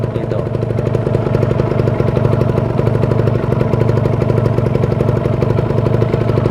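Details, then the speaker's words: Kawasaki Ninja two-stroke checked before purchase: crisp, even buzzy idle with no misfires or rattles after an easy cold start. The smooth sound indicates a healthy, well-maintained engine. "nah itu jadi kondisi dingin gampang dinyalakan itu motor masih bagus motor terawat itu ya"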